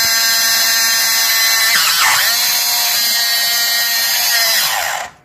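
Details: Mini sewing machine running abnormally noisy: shrill, steady high-pitched buzzing whine for about five seconds, then it cuts out.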